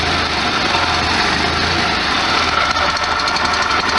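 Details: 1973 VW Super Beetle air-cooled flat-four, cold start in neutral with no throttle, after winter driving; lots of vibration while cold, said to ease when warm. Steady, even idle with smooth chuffing exhaust, no misses or ticks. Normal idle.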